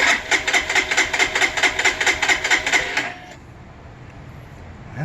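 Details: Freshly assembled fuel-injected Lifan KPR 200 motorcycle, tank shipped bone-dry and just filled, no choke needed: starter churns in a fast, even rhythm for about three seconds, then stops without the engine catching. Cranks but won't start.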